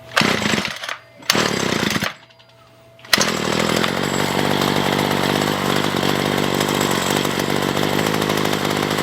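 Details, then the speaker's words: Ryobi two-stroke weedeater found roadside, first run after reassembly: coughs, catches, idles fine but bogs at full throttle; owner suspects heavy three-string trimmer head. "so the weed eater runts and idols fine it seems like it's bogging down a little bit whenever I give it on full throttle"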